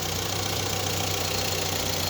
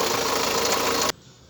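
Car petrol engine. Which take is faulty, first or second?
second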